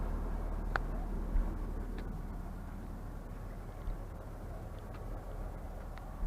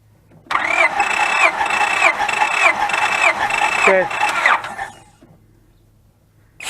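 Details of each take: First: 2004 Honda Pilot throwing code P1399, cranking compression about 195–210: low, uneven idle rumble with irregular stumble and no steady rhythm; engine misfire at idle, coils considered but cause not found. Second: 2004 Honda Pilot with misfire and code 1399, cranked during a compression test: starter spins steadily for about 3.5 seconds with even compression beats, no weak stroke; healthy cranking.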